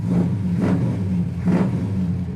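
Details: 1970 Chevrolet El Camino SS, 454 four-barrel V8, just started: big V8 rumbles steadily with three clean throttle blips, each rising and falling smoothly, no misses or knocks; sounds great, normal running.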